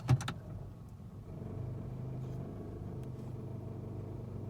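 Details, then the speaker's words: 2018 Nissan Sentra SV, 46,000 miles, idling in drive while coasting under 5 mph: brief clunk, then a low, steady buzzing rattle that stops when accelerating and is quiet at highway speed. "there's the vibrating all right coast up my driveway hit the accelerator it stops but i'm just idling up the driveway right now"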